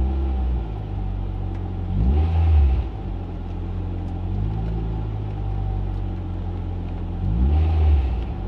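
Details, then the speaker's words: Mk6 Ford Fiesta ST, throttle body already cleaned: two quick blips, revs hang around 1,500 rpm and ease down slowly before settling, hanging idle; breather filter suspected, not confirmed. "so what it is is basically whenever you hit the accelerator when it comes back down to idle it sticks around 1,500 reps then comes back down"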